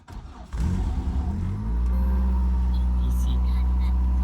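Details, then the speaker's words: Toyota AE86 Corolla, 4AGE engine, cold start: the engine catches, then holds a steady, noticeably fast idle with a deep, even drone, still climbing. The car has always idled high, 1,300–1,400 rpm at lights in summer. "Sometimes when it's really cold, idle goes up to 3,000 uh RPM in cold star. You can see it's still climbing."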